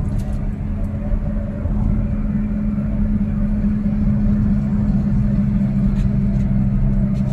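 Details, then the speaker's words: Perodua Alza driving: a steady low drone from the front left and right that grows louder as speed rises; a worn wheel bearing is suspected, though tyres should be checked first; front humming noise rising with speed. "Uh Kalau makin kalau kita makin laju makin kuat dp-nya bunyi berdengung dekat depan sini kiri dan kanan so Itulah masalah di pada bearing"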